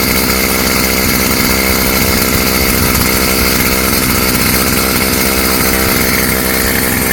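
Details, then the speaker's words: Stihl FS55 trimmer two-stroke after a new Hipa carb kit install, air cleaner off, warming up: busy buzzing note holds fairly steady with no sputter or surge, runs great; normal running. "Okay. runs great. Let's shut it off and see if it'll restart."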